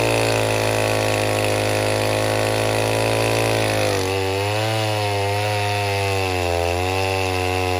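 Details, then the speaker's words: 070 clone chainsaw with a 42-inch bar, cutting oak firewood on its first real use: a steady high buzz sags and wavers once the chain bites, and the saw bogs and won't reach the wanted rpm. The owner blames a finicky, poorly tuned carburetor. "I cannot get that carburetor on the 070 figured out no matter what I what I do uh the saw just wants to bog I can't seem to get it up to the RPMs that I want it"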